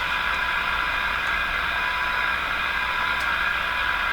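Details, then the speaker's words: 1938 Clinton 629 tube radio during alignment: a constant loud hiss and crackle over a steady high tone, with no clear program and the meter swinging up and down. Reception is terrible and very noisy, and something seems not right. "It's terrible. There's a lot of noise"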